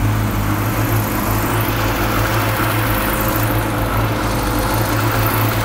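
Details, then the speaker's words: Classic Mini Clubman campervan, first run after blowing into the tank to push fuel up to the pump: steady running with a slight uneven lump, no taps or bangs; a bit rough but mechanically sound. "it's running a bit lumpy but it sounds sweet mechanically there's no taps or bangs or anything no it sounds nice"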